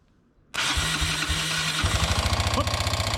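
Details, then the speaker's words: 1988 Honda Fourtrax TRX125 quad, first start on choke after ignition repair with pit-bike CDI: catches and runs rough with hard rapid knock about four per second from bottom end; rod bearing or crank damage suspected. "That sounded like Oh, boy. Did that sound like a rod bearing or a crank problem?"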